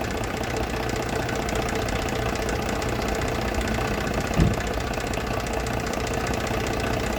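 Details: Small car engine at steady idle with a dull, even knock throughout; shaft or gear suspected as the source, bottom-end or gear knock, cause not confirmed.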